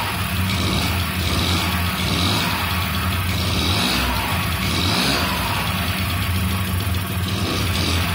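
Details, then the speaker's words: 1995 Honda Elite 50cc (SA50P) scooter's first start after replacing the bad ignition coil: steady idle with a constant low buzz and no stumbling, under background music; runs healthy. "oh so wheat it actually starts that's the first time i've had this thing started ever since i rescued it from the trash so cool"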